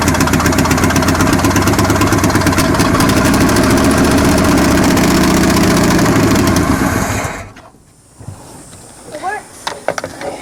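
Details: Abandoned 1963 Chevrolet C-20 stepside, long-sitting and hot-wired, fuel poured in the carb bowl, no fan or coolant, exhaust leak on the driver's side: catches and runs rough with a regular clatter about three times a second, then cuts out. Knocking on first start.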